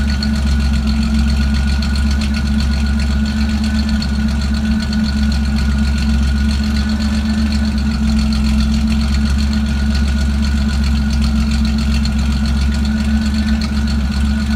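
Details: Lumpy idle with an uneven stumble and irregular chuffing under the drone, a misfire of unclear cause. Disconnecting and reconnecting the MAF sensor makes no difference.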